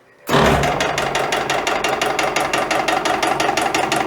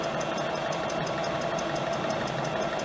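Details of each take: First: EPKU-1.7 compressor block on test run before repair: sharp metallic knocks once or twice a second on every stroke, attributed to wear, suspected connecting rod small-end bushings; unit also reported throwing oil. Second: Compressor block EPKU-1.7 after repair (connecting rods, pins, rings, cylinders replaced), 40 minutes into break-in run: steady, even mid-pitched drone with light regular valve patter, no knocking or extraneous noise, temperature normal; healthy running.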